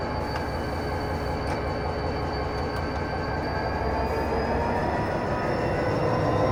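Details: SD45-2 locomotive diesel after fixing stuck fuel injectors, all injectors reconnected, run up to 8th notch in self-load: deep steady roar rising smoothly, no misses or knocks; everything working as it should.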